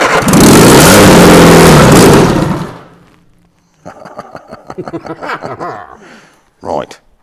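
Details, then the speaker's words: Reliant Robin engine in a Reliant Supervan after valve seat regrinding, first start on choke: catches and runs strongly, revving evenly with no knocks, then dies away; sounds healthy. "right release the choke that sounds really sweet it did sound I wouldn't release the choke it's only run for 10 seconds just to get the petrol go down bit"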